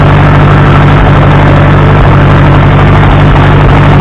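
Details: Case 300 tractor bought at salvage auction, unknown history, first start: steady even low rumble, no knocks or misses; engine running cleanly.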